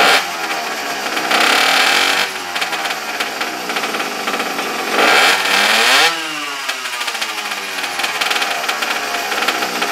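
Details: Small single-cylinder engine from an abandoned superbike, started with choke on after the spark plug gap was reset. It is finally lighting, revving freely with a crisp, even note and settling to a steady run; it runs normally.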